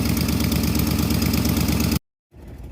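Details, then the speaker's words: Jeep EFI after a part replacement with no change: lumpy uneven idle with irregular stumble, then engine cuts off; general ignition misfire, P2305 code; cause later found to be a fried PCM. "That's not good. That is going to be the ignition, the general ignition misfire."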